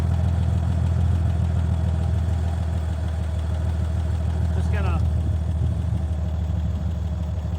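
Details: 1965 Chevy C50 grain truck, abandoned for years, just revived and running: steady low rumble of a big petrol engine settling into an even idle, no misses or knocks; slight leak suspected; normal idle.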